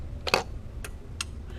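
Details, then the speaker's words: Hy-Gain Afterburner Plus tube CB amplifier after repair, keyed in sideband mode: a few sharp relay clicks with a short hang before release. The relay switches normally and the amp is fully functional. "You can hear the difference. So yeah, this thing's 100% functional."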